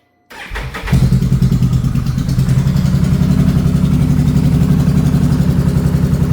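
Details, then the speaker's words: 2022 Can-Am Renegade 1000 XMR V-twin in garage, intermittent misfire all summer, couldn't accelerate on trail, fuel smell; fires up to rough lopsided chuffing idle, front spark plug boot arcing to engine block so front cylinder misses. "Very common on these Can-Ams. for whatever reason, the spark plug, the boots from the mud, the moisture, the whatever, they start to let go and it's arcing through the boot to the engine block and causing that front cylinder to miss."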